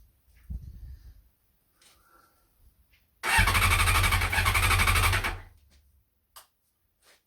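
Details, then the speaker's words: Honda CBR600F under revival, hot-wired with a temporary bypass for the broken starter relay and faulty ignition switch, borrowed fuel tank fitted: starter spins the engine about two seconds with an even whirring beat but it never fires, kill switch on cutting ignition. "the kill switch is on"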